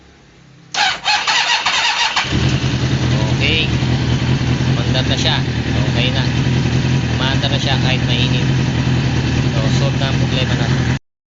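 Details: 1998 Kawasaki Ninja ZX6R that had been hard to start when hot, after the fix: brief cranking, then it catches within about a second and a half and settles into a steady, even idle, a clean hot start.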